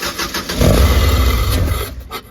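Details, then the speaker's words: 1999 Subaru 2.2 flat-four in a VW bus, intake off, cranked on starting fluid: starter cranks in quick pulses, engine catches then fades. Ignition is fine but there is no fuel pressure; owner suspects the used fuel pump. "yeah so it's a lack of fuel problem guys um I don't know if I put a used fuel pump on it and I can feel the pump running"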